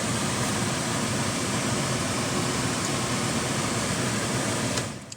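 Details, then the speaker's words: 2014 Volkswagen Jetta, heat/blower works only on setting 4, nothing on 1–3: steady airy fan rush at full speed then winding down; failed blower motor resistor, located under passenger side, to be replaced. "So the heat is only working on number 4. So what we're going to do is replace this resistor, and this resistor is in front of the passenger seat, right in the bottom."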